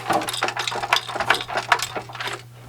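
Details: Original PlayStation 1 bought as broken, lid not staying closed: quick bursts of light plastic clatter as the console is shaken, loose parts rattling inside the case.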